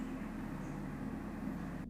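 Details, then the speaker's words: Kraken X63 cooler in Lian Li Dynamic case after top-cover vibration fix, gaming with temps near 63°C: even steady whoosh of fans near maximum speed, no rattle or buzz; vibration gone. "But you can see, you can hear the fans are going at close to maximum speed. And I don't hear the vibrations anymore."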